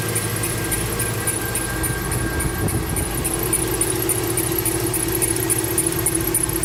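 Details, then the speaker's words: 2012 Mercedes-Benz C300 at idle: thin high chirp pulsing over steady idle, engine bay squeak persisting after replacing belt tensioner, pulleys and belt; source and cause still unknown. "i changed all the tensioner i changed the pulley i changed the belt still hear the same noise i have no idea what else to do so"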